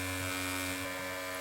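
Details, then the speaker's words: Mac Mini optical drive reading a game disc, whole system vibrating across the desk: loud, steady high whir with constant hum underneath, reading stalls and drive slows; the disc itself is suspected faulty. "oh that noise is terrible"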